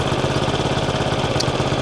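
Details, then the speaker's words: Honda Forza 125 scooter idling during starter-alternator replacement: steady idle with a sharp regular puffing chuff each firing pulse; exhaust leak from a fairly big hole at the O2 sensor boss. "And, uh, sounds like he's got an exhaust leak. Maybe not. Yeah, he's got an exhaust leak. Yeah, got a hole in the exhaust for good measure right there."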